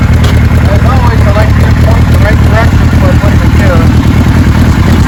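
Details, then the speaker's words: 1974 Kawasaki Z1 900 original-condition survivor, exhaust pipes with a couple of holes from sitting: deep, even four-cylinder idle thrum with a steady low pulse, no missing or knocking, described as so smooth; normal idle. "Oh man, that's a nice bike. So smooth."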